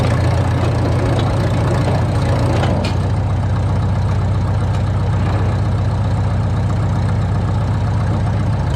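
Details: 1952 Caterpillar D2 crawler diesel with pony motor revived: deep, even diesel clatter at a steady idle, about four beats a second, no stumbling or odd knocks; steering clutches still frozen; normal idle.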